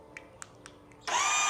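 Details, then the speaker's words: Kawasaki KLX 230 SM motorcycle, battery newly replaced so not a flat battery: a few faint clicks then a high steady electric whir with no engine turnover, feels like no pulling power; worn starter gear. "มันเหมือนไม่มีแรงฉุดอ่ะลองฟังอีกทีนะครับอาการนี้ไม่ใช่ใช่เป็นอาการแบตหมดนะครับเพราะว่าแบตเราเพิ่งเปลี่ยนมาใหม่นะครับ"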